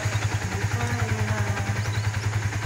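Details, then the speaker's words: Yamaha Vixion idling just after assembly with a newly fitted NPP cylinder block (piston block bought online). Even, rhythmic low putter, smoother than before, no knocks or rattles, healthy single-cylinder idle. "Suaranya juga lebih halus sekarang. Ini adalah ciri khas Vixion, seperti ini , teman-teman. Suara berirama."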